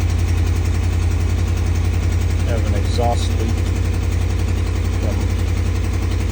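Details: 2013 RAM 1500 5.7 Hemi at cold start, code P0300 multi-cylinder misfire: lumpy, uneven idle with stumbling, dipping beat.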